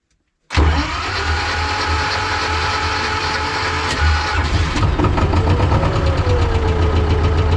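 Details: T-16MG self-propelled chassis diesel cold-started in winter at −10°C with the clutch squeezed and the decompressor on: it catches instantly after a half-second of silence and settles into a steady, even idle, a clean healthy cold start.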